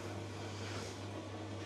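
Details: Newer-model Electrolux 7kg clothes dryer after a drum belt replacement: a smooth, steady low hum with an even drum rumble and no thumping, squeaking or scraping; the drum turns normally.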